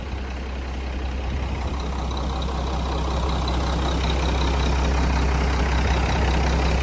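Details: 1997 Mack RD600 diesel cement truck from auction, just started after charging dead batteries: deep steady diesel idle with a regular beat of about three and a half per second, no knocks or misses; normal idle.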